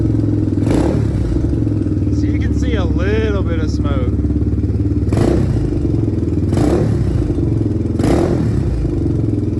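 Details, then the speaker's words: 2007 Honda TRX 400EX single-cylinder, just started after purchase with a bit of choke: steady top-end clatter at idle with occasional louder pops; valve lash suspected, unconfirmed; breaking up, popping and banging under throttle. "It's definitely rattling pretty bad in the top end though. So I guess before I ride it, I'll go ahead and pull these little inspection covers off and just see what that valve lash is, because it sounds pretty noisy."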